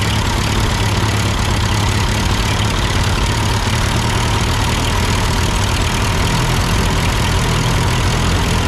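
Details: Ford 8N tractor at idle with no load and the engine hot, just after a carburetor adjustment. It had sputtered uphill, blamed on a cheap Chinese carb; an old Marvel-Schebler ran fine. Steady, unbroken low rumble, no misses or surges: normal idle.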